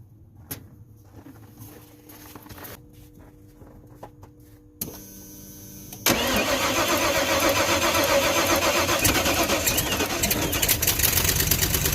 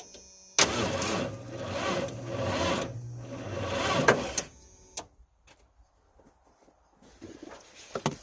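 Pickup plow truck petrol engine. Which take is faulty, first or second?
second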